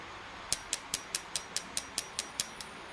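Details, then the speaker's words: Ecumaster EMU Black ECU bench test for an aircooled Porsche 911 turbo EFI conversion, with the microphone next to injector one during a 10-cycle output test: crisp, sharp clicks about two per second, showing the injector fires properly. "and you can hear it clicking away so it works and I've gone through and I've tested all the injectors so I've got my firing order correct cuz injectors 1 to six all fire at the right times"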